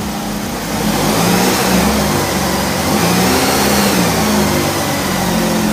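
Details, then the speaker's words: Engine-replacement 2008 Chevy HHR (2.4 Ecotec block with 2.2 head replacing blown 2.2): after reconnecting the power-brake vacuum line that caused an earlier whistle, engine revs through light blips and settles to a steady, even idle with no whistle; running healthy. "Let it idle. I haven't pressed the gas one time. Okay. Sounds good."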